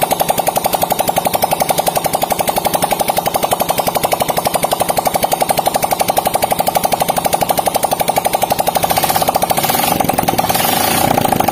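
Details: Yamaha Vega ZR after a stuck-camshaft repair with valve clearance set at 0.10 and 0.08: steady, even idle with a quick regular pulse and no knock, tick or clatter. Normal idle.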